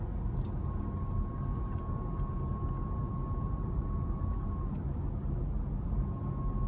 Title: 2014 WK2 JGC Whistling noise when coasting